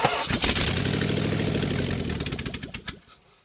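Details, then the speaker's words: Big block Mopar 400 V8 in a Ramcharger, started with exhaust manifolds removed and no exhaust fitted before header install: harsh, loud, crackling bark straight from the heads, then winds down. "That was loud. Yeah, that's funny. Squirts the gas out all over the side."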